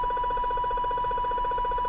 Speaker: I'm close to a neighbor's house that's emitting this pretty loud sound a little bleed over onto 28 but it's really originating from 29 Channel 29.